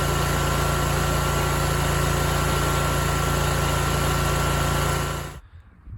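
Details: BigDog Stout lawnmower after replacing carburetor welch plugs to cure long-standing idle surging: steady, even engine hum without rise and fall until shut off; idling smoothly, fixed.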